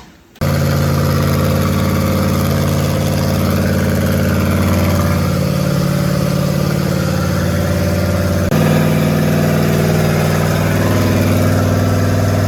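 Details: Small-block Chevy 350 V8 rat rod, new cam just installed, break-in fast idle: catches and settles into strong even fast idle, speed easing up and down smoothly, no knocks or misses; normal.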